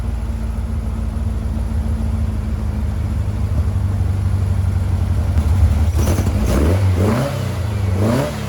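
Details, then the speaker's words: 1956 VW Bug flat-four with twin replacement 40mm IDF/HPMX carbs, after fixing the fuel-leaking carb: steady even low putter without dropouts, brief throttle blips near end, firing on all four; carbs and linkage still unsynced. "well it's amazing what a difference two functioning carburetors make and four cylinders versus two cylinders so this actually the best the cars ran in a little bit"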